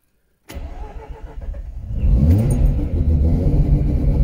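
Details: Mazda RX-8 with a bridgeported rotary engine, cold start after battery disconnect: the starter catches after half a second, then a lumpy, loud fire-up settles into a fast uneven idle held high while cold; normal cold start.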